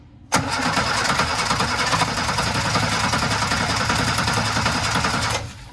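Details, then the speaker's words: Barn-find Sprite with the chokes in use: after oil was dropped into the cylinders to raise compression, the engine catches and runs rough and uneven for about five seconds, then dies. Oil-fouled spark plugs need burning off. "it was trying to start but now i have too much oil on the spark plugs i'm going to need to burn that off"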